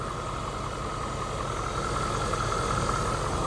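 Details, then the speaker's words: 2012 Ford 6.7 diesel truck idling after alternator replacement and EGR valve and filter cleaning: steady, even idle with light belt-drive whir, no knocks or squeal; no codes, normal healthy idle. "But so far, everything sounds good. No codes or nothing."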